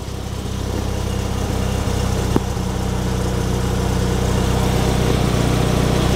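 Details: Fiat 126p small twin after a two-hour struggle to start, traced to fuel supply: settles into a steady, even idle with a low throb and no misses; sounds healthy now.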